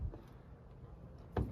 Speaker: So right when I got this car, it had, to me, a big issue is every time you open the door, you hear this. What that is right here, the door check.